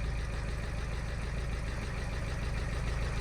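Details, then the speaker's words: VW Scirocco TDI after timing belt failure, with new cams fitted after the lifters were found smashed, first start: the diesel runs lumpy and very rough with a light top-end tapping, and coolant is spraying; valvetrain cause suspected, not confirmed. "that does not sound good to me I'm going to stop it there guys but it's running that sounds really really tappy to me"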